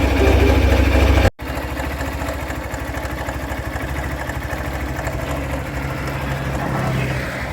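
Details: Hero Thriller 160cc engine at a steady idle with a quick rattling tick, about three a second, riding on the engine beat; abnormal engine noise, source not pinned down.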